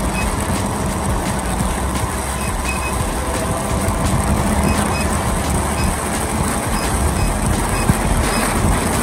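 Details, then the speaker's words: Veteran Sherman-S electric unicycle ridden hard: quick repeated high beeps over heavy wind and motor rumble, the power-draw alarm triggered by high speed or hard acceleration, around 60 km/h in usual mode, 75–80 km/h in high-speed mode. "first up there's alarms for power draw and there's actually two modes on this wheel a usual mode and a highspeed mode so in the highp speed mode it will beep later than in the usual mode so usually you will hear the beeps either if you go really quick"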